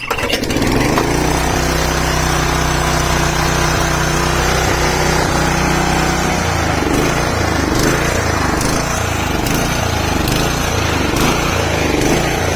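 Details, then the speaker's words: Honda HR214 lawn mower, owned since 1987 (about 32–35 years old), on choke after a new fuel filter, new spark plug and carburetor jets cleaned of rust flakes. It starts on the pull and runs steadily without cutting out: normal running after the repair. "that is it looks like that was it i think some flakes of rust got into the nozzle of the um the carburetor jets so uh taking it apart and just cleaning it"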